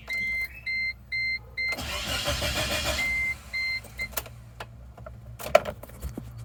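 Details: 1998 Chevy Tracker: door chime beeps, then about a second of starter cranking with no catch or run before the chime returns; the engine cranks but will not start.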